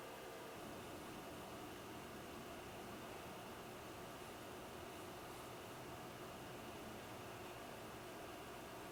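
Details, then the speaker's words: Hikvision DS-7608NI-K2/8P NVR power supply fan, original stock fan running pretty loud before replacement with a Noctua NF-A4x20; steady airy hiss with faint hum; recorded before the swap for comparison. "now the reason why I am replacing this fan is because it's pretty loud"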